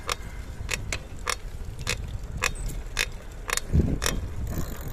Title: Montra Downtown - Weird creaking noise from bottom bracket